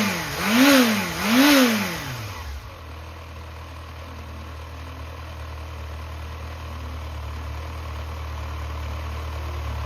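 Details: Yamaha XJR400 (4HM) engine assembly removed from running bike, compression tested, no abnormal noise or white smoke. Two quick clean throttle blips return to smooth even idle, no knocks or ticks: normal idle.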